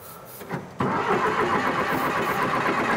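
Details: John Deere 450C track loader diesel, long parked in the woods with air in the fuel system: slow starter cranking on starting fluid, then the engine fires and picks up into a rough, uneven run as the fluid takes.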